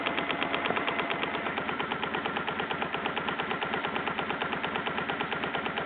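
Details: BMW R1100GS at idle: fast, even light ticking, about three per second, over a smooth boxer idle; top-end tick of unclear source, owner suspects the throttle body.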